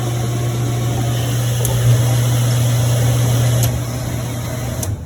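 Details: 2009 Sundance Maxxus spa pump after relay fix (customer reported jets humming and not starting): a steady low motor hum runs evenly, then fades as the pump shuts off near the end; normal pump operation.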